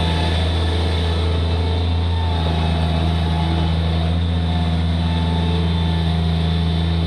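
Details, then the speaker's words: Bobcat MT85 mini loader after belt tensioner replacement, engine steady and even under load with a full bucket, smooth low drone and no belt squeal; the old tensioner was the problem. "So replacing that tensioner completely fixed that squeaking. So I think I may have gotten lucky there, but that was pretty cool. That tensioner was the problem."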